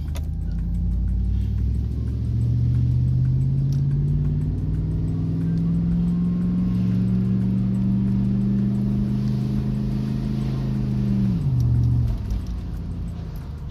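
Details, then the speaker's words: Tahoe after 4L60E/4L65E transmission swap, cherry bomb exhaust, on drive: engine pitch climbs about nine seconds before one abrupt drop; shifting late, cause unknown (transmission, wiring or install). "shifting late i don't like it i'm gonna take it down the road"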